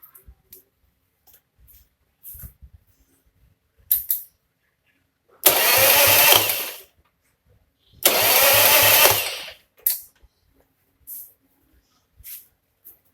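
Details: Old Harley starter motor reinstalled after a cheap DIY repair, with the spark plugs removed so it spins freely: two short bursts of quick, even whirring, each about a second and a half; normal cranking.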